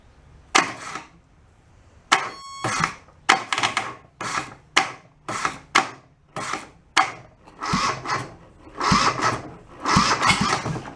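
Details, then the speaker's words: Junked Kubota small diesel from a scrapyard, cranked on a jumper pack: labored, separate heaving turns about one per second with no firing. Cranking is too slow, so a bigger battery is probably needed. "so I think we're gonna have to step up to probably to a bigger battery because I how slow it was cranking"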